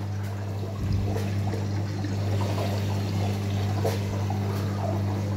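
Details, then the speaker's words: Electrolux EWS 1046 washing machine, never repaired apart from a once-broken power cable, recirculating water while filling to dissolve detergent: steady low pump hum with water splashing and trickling through the drum, even and healthy. "Вот так вот циркулирует, очень это хорошо, набирает воду и одновременно все это уже перемешивается, растворяется хорошо в таком случае."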